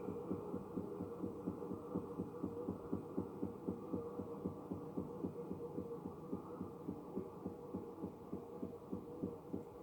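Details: Electrolux washing machine only two months old: soft thumps repeat about four times a second over a low hum, steady but uneven in strength; the rhythmic knocking's source is unclear, and Electrolux service called it normal, which the owner doubts.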